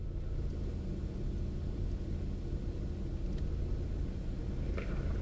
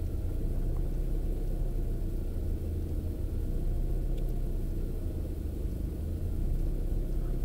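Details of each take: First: Opel Astra G 1.6 16V X16XEL: idle surged from choke-off until about 68°C coolant, with the lambda trace matching the swings. At 66°C it begins stabilizing into a low, steady, nearly even idle. The engine ECU was later found to be the cause. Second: Opel Astra G 1.6 16V X16XEL warming up, coolant about 37°C: revs drift up and sag without settling, idle hunting that matches lambda oscillation and stops at 68°C; cause found to be the engine ECU.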